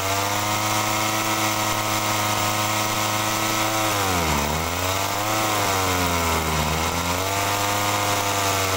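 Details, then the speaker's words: Agricultural sprayer small engine, carburetor fault: steady high buzz but each throttle blip makes revs sag with a "ngok" bog before recovering; mixture judged lean, screw turned counterclockwise without cure; pump problem suspected. "Nah jadi teman-teman di situ masih timbul ngok ya nah ini kalau timbul ngok kalau saya dengarkan ini sepertinya kurang boros ya"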